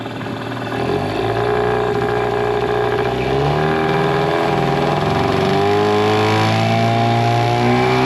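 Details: Mercury 9.9 hp two-stroke short-shaft outboard, believed early 90s, revived after years sitting; carb and plugs upgraded (owner says 15 hp). On a lake test under load at top-end speed, a high buzzing drone climbs cleanly and holds without stalling; normal full-throttle running.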